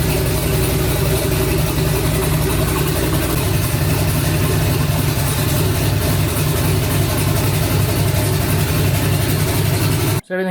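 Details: Twin-turbo 5.3 V8 New Edge Mustang, first start of new build, coolant around 160 with fan set for 180, ECU learning: steady low idle loping three to four pulses a second, smooth, no ticks or knocks; healthy.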